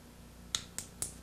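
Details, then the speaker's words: RV water heater ignition control board, one-second delay single-try with retry, on bench tester with high-voltage wire connected; four crisp evenly spaced snaps about four a second over quiet hum; igniter sparking normally. "into ignition tick tick tick tick tick I would have to have this connected to that if I wanted to sense the flame"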